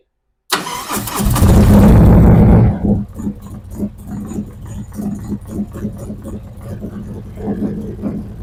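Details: 2023 Harley-Davidson Street Glide ST after a Stage 2 build (CR483 cam, ThunderMax tuner, Bassani headers, S&S oil pump and cam plate). First start in neutral: it cranks briefly and catches, then settles into an even, loping idle with front and rear AFRs centred. A healthy start before warm-up.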